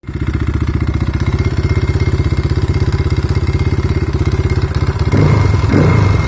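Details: Kayo T5 engine at idle: steady, rapid thudding knock locked to engine speed, with heavy low clatter underneath. Engine knock, cause unknown.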